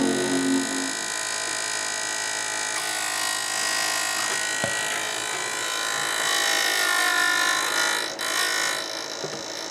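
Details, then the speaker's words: PowerMac G4 after an upgrade with newly fitted sleeved-cable fans on a fan adapter: one fan runs with a raspy buzzing scrape that rises and steadies with speed; owner thinks the blade is scraping the cable, not confirmed. "Okay, I think it's scraping against the cable, so I'll shut that down before my CPU fries."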